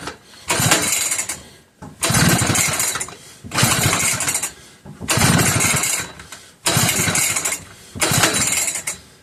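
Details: McCulloch 1-52 chainsaw with strong compression and confirmed spark, after adding fuel: six even pull-cord bursts about every second and a half, rasping but never settling into a run; hard starting, cause not confirmed.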